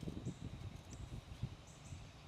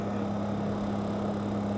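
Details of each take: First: MrCool Universal split HVAC outdoor unit, refrigerant valves being opened after about a year installed: quiet outdoors, then a sharp half-second hiss as the service port cap comes off; owner suspects refrigerant seeped past the valve. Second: MRCOOL Universal series heat pump, self-installed, starting after a GFCI breaker fault. A steady low hum with a constant tone, slightly high-pitched, and a unit vibrating a little; the compressor is slowly starting and running normally.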